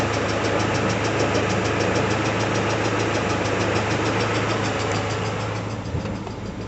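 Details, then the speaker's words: Peugeot 406 Coupe, 244,000 km, just after timing belt replacement, cold at about 50°: fast regular ticking about three per second over a loud idle, fading near the end; owner concludes it was the hydraulic lifters. "Сейчас вот, слышите, звук уменьшился, пропадает. Это были все-таки гидрокомпенсаторы."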